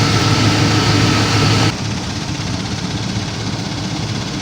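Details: GM 5.3 Tahoe after water pump replacement to fix a leak and squeak: even, low idle rumble with a soft pulse about four times a second, no knocks or squeals; temperature normal, heat working, no leaks.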